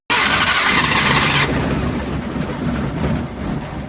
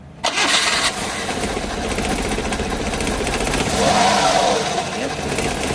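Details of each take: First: Suzuki F6A pickup before repair, misfiring, stalling, no idle, leaking front crank oil seal and smoking; engine catches with a loud rush, then runs ragged and uneven with stumbling beats; misfire and stalling. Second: Suzuki F6A pickup after repair (distributor cap cleaned, tune-up, crank and transmission oil seals and tensioner bearing replaced), previously misfiring, hard-starting and stalling; engine catches within a second and settles into a steady, even idle with no misses; normal start and idle.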